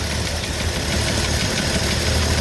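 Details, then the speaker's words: 1982 Ford F-150 with newly installed carburetor, after initial adjustments: lumpy, uneven idle with irregular low thumps and shaking; owner notes a vacuum line needing repair and two unconnected vacuum lines, cause unconfirmed; rough idle. "a lot of shaking there you can tell i do have this vacuum line to repair"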